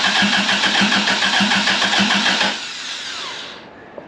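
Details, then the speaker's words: 1982 Toyota Celica Supra Mk II with a swapped 2004 Tacoma 3RZ-FE engine and homemade turbo manifold, first start on brake cleaner with no sensors or intake. Rapid pulses about three a second for 2.5 seconds, then it dies: it fires but won't keep running. "don't know if I'm gonna get anything else I probably need more than one hand but it fires"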